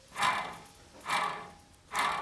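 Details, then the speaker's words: VW Golf Mk5 hub turned by hand: gritty rasping surges about once a second from a worn wheel bearing, which should be silent; bearing replaced. "I'll give you a demonstration of what a bad wheel bearing sounds like if we can get them sound all right"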